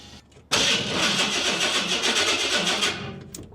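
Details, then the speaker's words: Big-block with an ECM-controlled fuel pump: steady fast starter cranking for about three seconds with no catch, then it stops; no fuel pressure while cranking because the pump isn't kicking on. "H got no fuel pressure while cranking and that's run directly from the ECM"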